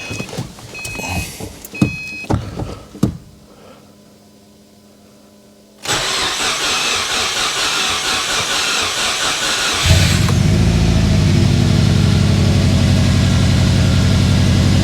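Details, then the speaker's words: Freshly assembled Subaru WRX 2.5 turbo boxer, first start attempt after rebuild and oil priming, temporary fuel feed from gas can: clicks, cranking, catches in about ten seconds into strong even idle; oil pressure light goes off; clean first start. "Oh, it sounds good. Oil pressure light went off."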